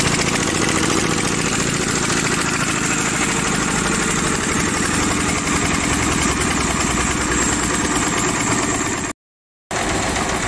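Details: Overhauled old Daedong single-cylinder diesel engine, previously hard starting, running after fuel injection pump and injector check: steady, even thump at about three to four beats a second, running smoothly.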